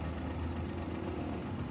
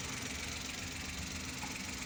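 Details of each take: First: Mazda-badged Suzuki Every (Japanese, 2012), check engine light with code P0303, cylinder 3 misfiring; uneven, lumpy idle with a stumbling low beat as the cylinder 3 ignition coil is unplugged, engine light blinking. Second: 2012 Mazda, a Suzuki Every twin, that had a check-engine light with code P0303 (cylinder 3 misfire); after repair, a steady idle with an even beat under hiss, no stumble or dropout; normal idle.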